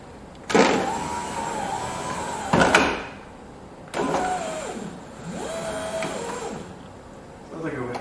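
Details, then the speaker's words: 2000 C5 Corvette, low mileage, driver side power window with key on: the motor whirs in short, strained runs, sounding weak and slow. It is later found grinding, likely a broken gear tooth inside the motor, and the regulator/motor assembly is being replaced. "try the window up and down sounds a little weak but it's working"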